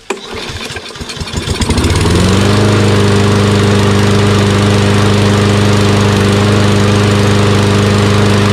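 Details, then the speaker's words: Toro Recycler XT675 mower with Kohler engine, after replacing a collapsed fuel line that starved it of fuel: catches after a couple of pulls, then settles into a steady, even single-cylinder drone with no misses. It now starts and runs properly. "so something as simple as changing the fuel line fix the problem now it starts in one pool and runs great"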